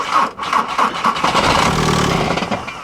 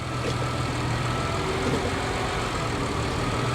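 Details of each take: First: Diesel on a booster pack reading 10.3 volts: uneven cranking bursts, then it catches briefly and dies right away; owner doubts the booster, suspects old algae-fouled fuel; engine also moves a lot, possibly a bad motor mount. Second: Hybrid with about 175 thousand miles: steady, even low rumble at idle in gear with no knocks, misses or surging; engine settled and running normally, mounts feel fine.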